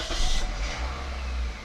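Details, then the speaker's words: 2003 Toyota Corolla, nearly 200,000 miles, alternator recently replaced, idling with AC on at a steady 1000 rpm; low even hum with no stumble or shake, though the check engine light comes back on. "It really holds the RPMs. Look, there it is."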